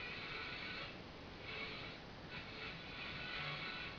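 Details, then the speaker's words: AM radio with only about two stations on AM and FM not working, at night: a faint station barely surfaces through steady hiss and static; weak AM reception from a misaligned IF stage, awaiting alignment. "the radio is very weak am willing picks up like two stations and FM doesn't work at all"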